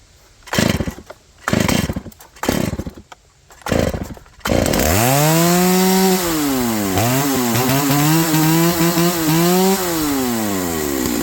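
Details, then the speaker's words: Stihl MS290 Farm Boss chainsaw after replacing the worn drive sprocket that had bound the chain: four pull-cord yanks, then catches and revs up and down smoothly without labouring; much better. "yeah that's way better before the chain wouldn't even rotate by itself it was so tight and bound up in that wore out sprocket"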